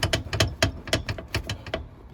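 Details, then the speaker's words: Jeep TJ tumble seat mechanism missing its bushings: quick bursts of sharp metal-on-metal clacks, about ten in two seconds, as the loose mechanism bounces around instead of being smooth and quiet. "in your seats is not normal and it's not supposed to do that it's actually supposed to be smooth and quiet and on this front of these uh seat tumbler mechanism there's actually supposed to be other parts here that keep it secure and keep it from bouncing around like that so you don't have all this metal on metal noise"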